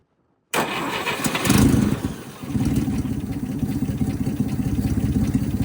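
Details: 1958 Chevy Apache truck engine after sitting for decades, extra hot wire added to the coil: silence, then cranking catches into a lumpy, uneven idle; first start in decades.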